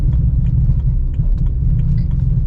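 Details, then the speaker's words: BMW E92 with hybrid-turbo N54 at low speed: low rumble with irregular light clicking and grabbing from the rear limited-slip differential; the noise has improved significantly since fitting a diff brace. "noise there. Now that noise has improved significantly since I've put the Hillside Motorsport diff brace on,"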